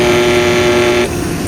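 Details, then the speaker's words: Pool cleaner booster pump: steady low hum at a fixed tone, impeller spinning only about half speed, then it clicks off; the motor is bad and needs replacing. "It's running. And sometimes when you hear that hum, it's not running at all, but this one, you can see the impeller is spinning. It's just not spinning at full speed, spinning at half speed. So that tells us the motor's bad."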